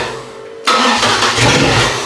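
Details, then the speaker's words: Car engine after reconnecting it to its normal ground and working the starter connection: catches straight away and spins up smoothly, no longer cranking hard or labouring; normal cranking and start. "But it does run. And it doesn't crank hard anymore."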